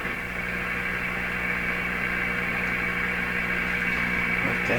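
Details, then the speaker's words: General Electric C600 radio, on a dim-bulb tester while its old wax audio capacitors are replaced: a steady low fixed-pitch hum over hiss; owner believes mains hum is being picked up, unconfirmed. "in this case it's picking up hums that's my belief"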